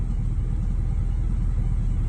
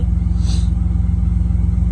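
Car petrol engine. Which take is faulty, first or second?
first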